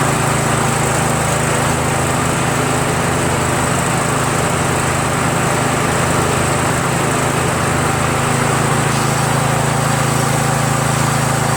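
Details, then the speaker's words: Troy-Bilt lawn tractor, 17.5 hp Briggs overhead-valve single-cylinder, after carburetor swap with fuel solenoid valve removed: steady, even drone at constant speed with no misses or surging, running healthy; the deck still vibrates slightly with the PTO engaged. "I cut the valve this thing runs great now man I think I feel pretty good about it that I can sell it"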